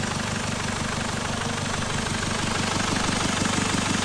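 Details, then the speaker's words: Jaguar XF, first start after starter motor replacement: steady sharp hiss over the idle with a slight puffing pulse, gas escaping from an unbolted EGR pipe joint missed earlier; two 10mm bolts refitted cured it. "Turns out that that hissing noise was just another one of the EGR pipes that for some reason I'd missed off earlier when it was on the ramp."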